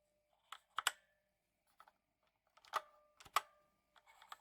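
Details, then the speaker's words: Drevo Calibur V2 mechanical keyboard; scattered key presses each followed by a thin metallic ring, pinging more on the lower rows; reviewer suspects the backplate mounting. Cause not confirmed. "so that'll probably come out in the typing test when I'm typing you'll probably hear quite a bit of that at pinging noise"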